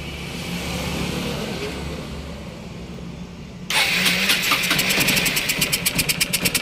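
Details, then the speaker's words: Honda CB Unicorn 160 carburettor with broken slide pin: bike idles with an uneven, stumbling beat, about three pulses a second; broken pin causes the misfire, fixed by carburettor replacement. "इसका pin टूटने की वजह से दोस्तों इसमें missing की problem देखने को मिल रही थी"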